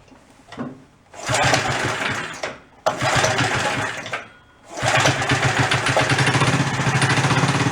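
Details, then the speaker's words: 50-year-old abandoned Rupp mini bike, revived, primed, just started on choke: small single engine catches twice, then settles into a quick, slightly uneven popping beat on part choke; keeps running. "There you go, leave the choke on a little bit."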